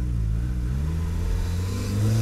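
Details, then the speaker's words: Turbocharged budget Mazda Miata on a full-throttle pull with the blow-off valve disconnected: deep engine drone climbing with a rough fluttering edge; turbo compressor surging because boost is not vented. "of course though no matter what i did with this test you could hear that turbo surging like crazy"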